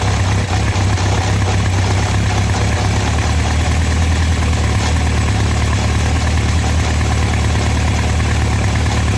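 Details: Honda CB750 four-cylinder motorcycle at idle, louder from the brake side: fast, busy rattle seemingly from inside the engine over steady idle; engine internal rattle, cause suspected, not confirmed.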